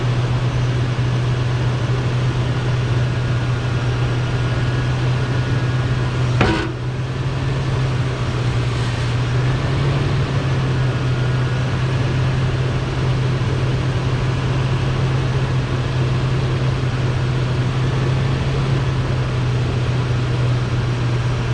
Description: Noise made when turning 2001 Toyota Sequoia